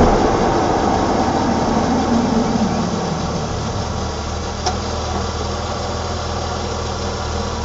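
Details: 1987 BMW E28 520i, M20 2.0-litre inline-six (129 PS), nearly 400,000 km, now running excellently; recorded on a phone with good low-frequency microphone; smooth, even idle with steady low hum, no knocks or misses; normal idle.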